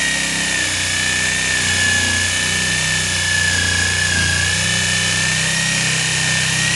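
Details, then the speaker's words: Jigsaw freehand rip-cutting wood that seems wet, blade clogging: high steady whine dips and strains mid-cut as motor loads up from pressing too hard; bogging under excess feed pressure. "it's all bogging down okay that's me pressing a little too hard"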